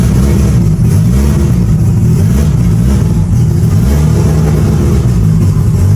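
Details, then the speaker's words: Mitsubishi Evo, cold engine, first start of the day after installing both fuel pumps: deep, loud, steady idle rumble firing evenly with no misses or knocks; fires up good and sounds healthy, normal cold idle. "But overall, everything else sounds good, fires up good, sounds healthy."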